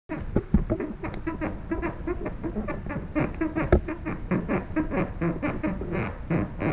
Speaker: These are my squeaky floorboards.